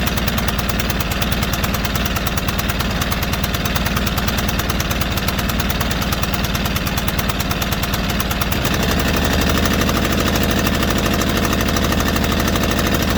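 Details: White Outdoor LT542G riding mower twin engine, on a cold shop day, runs rough and erratic with a lumpy, uneven beat of about three per second that shifts note partway; it was also drinking gas and dumping fuel into the oil. Cause: carburetor main jet missing.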